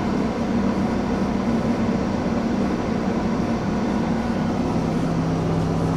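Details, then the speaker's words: 1989 Ford F-150 4x4, 5.0 V8, 5-speed manual, cold, restarted after the IAC valve was reconnected: a steady, fast, even drone with no dips. High idle with the IAC connected; it was earlier disconnected to keep rpm low for a dry engine. "See, that's exactly what I didn't want it to do when I first started it up. I wanted to, that's why I disconnected the IAC valve, so I can get it running at a much lower RPM, because that engine was going to be bone dry sitting for a couple of months like it was."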